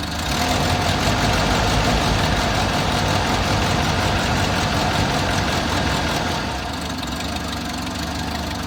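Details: Six-wheeled Toyota truck after fuel tank replacement, now with new fuel filter and spark plugs: odd uneven idle with ragged low-end pulse and slight sag, maybe worse than before; cause still unknown.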